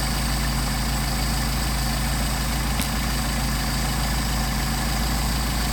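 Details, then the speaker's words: Mercedes 190SL with rebuilt Solex carbs from a 39,000-mile car, idle screws backed off: low, steady, even idle at 700 to 750 rpm, no hunting or stumble; carbs well balanced. "You see we're at 700 RPM, 750, so we're looking good there."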